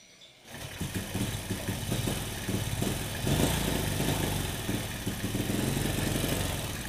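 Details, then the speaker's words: Honda Supra motorcycle fouling spark plugs with black smoke despite new carburetor; after valve work, idle mixture screw being adjusted: uneven idle with wandering beat, revs rise unsteadily then die; plug gap not yet reset, idle mixture off. "Kelihatan dari naiknya RPM-nya naik, cuman naiknya itu nggak stabil."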